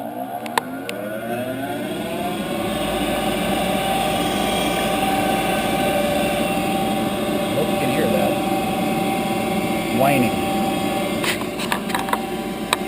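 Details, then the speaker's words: About 10-year-old Heil gas furnace, run in 20–30 below zero weather: blower spins up then holds a loud steady whine, audible upstairs. Owner suspects the inducer (exhaust fan) motor is failing; gasket already replaced, new inducer about to be fitted. "it's whining making a whining noise I can hear it upstairs I can hear that thing"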